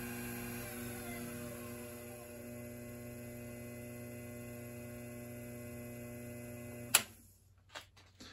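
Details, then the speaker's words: Treadmill DC motor on an SCR supply with chokes built for a mill, lowest setting about 900 rpm unloaded: even, steady tone with a clean high whine, no bump start, knocks or surging, then sharp switch-off; normal smooth run. "And if I turn it on, Lowest setting running smooth. We're not doing that bump start."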